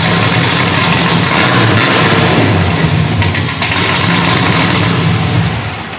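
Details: LSX-swapped 450 hp Datsun 280Z idling on its newly built custom exhaust: a loud, deep V8 burble at a steady, even idle with no misses or ticks; it sounds healthy.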